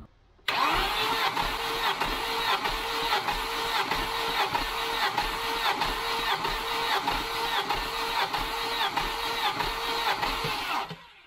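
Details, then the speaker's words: 1989 Volvo 740 wagon B230 redblock non-runner, head gasket done 2019, compression test cranking: steady even compression pulses, no dragging; about 130 psi per cylinder, healthy for this engine. "130 which is actually like bang on for this engine for one cylinder like per cylinder like that's actually"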